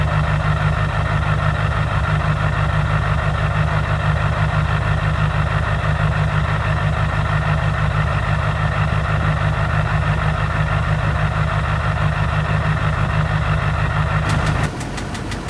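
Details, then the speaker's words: 2005 Duramax LLY diesel V8 idling with a heavy, regular knock about two beats a second; owner unsure of cause, compression test later suggests the engine needs replacing. "it's got a bit of an engine knock noise not really for sure what's going on with it but fairly clean truck"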